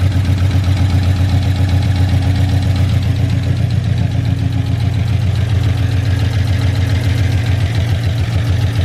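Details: Big-cam GM 5.3 V8 in a truck, first start after swap: heavy lumpy chuffing idle around four beats a second, running on only four cylinders because the DOD valley connector was unplugged.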